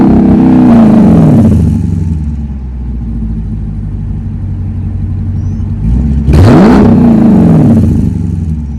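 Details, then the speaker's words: Dodge Durango RT V8 after the exhaust leaks were fixed and the tips extended out the back, now louder and sealed with no leaks. It revs up and drops back twice with a smooth, deep rumble between, no ticking or puffing. Normal exhaust note. "I'm gonna give y'all a little exhaust note. Since everything is sealed up, there's no leaks or anything now."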